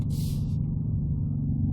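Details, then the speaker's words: Kia K9 cabin: a steady low droning rumble that holds without change, an unexplained vibration noise the owner reports alongside AC and engine noise complaints; cause suspected, not confirmed. "소음이 있습니다 신동 같은 손 이구요 드릴로 타라 럽게 속으 아 하는 손이 같이 드네용"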